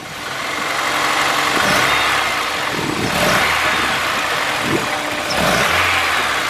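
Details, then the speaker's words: Car with 9,924 miles, engine started and given quick throttle blips: uneven, lumpy, shaking running that swells slowly and never picks up crisply; throttle response very lazy, cause unclear; a fuel return hose clamp was found out of place. "very lazy Carolee tell how much but the engine is shakin"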